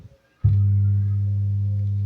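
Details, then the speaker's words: Amplifier (SOCL 506) switched on: loud steady low hum as excessive DC offset from the power supply reaches the speaker output, risking destruction of the final transistors and speaker. "jadi untuk suaranya seperti ini nah jika ada suara seperti ini jika diteruskan terus-menerus akan jebol untuk transistor finalnya maupun si speakernya karena apa tegangan yang keluar dari output speaker ini sangatlah besar dulur karena tegangan DC ya"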